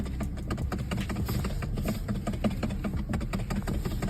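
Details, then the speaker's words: 2010 Mercedes-Benz C300 W207 with ESL emulator, ESL disconnected but left in column: sharp uneven clicks over engine and road rumble from the steering column, believed from the lock pin not fully disengaged; fix is removing the ESL. "a clicking sound and uh that I believe is as a result of the uh the pin not being fully disengaged"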